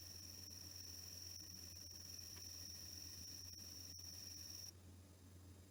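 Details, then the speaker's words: Sony D-EJ955 CD Walkman (2001) on G-Protection setting 2: a faint high whine and soft ticking while the disc reads ahead, then quiet for longer before reading again, versus more frequent reads on setting 1. Normal reading cycle. "okay it's stopped spinning so the comparison between the G protection two and one is that the second setting seems to read more and then it's quiet for longer before it starts reading again"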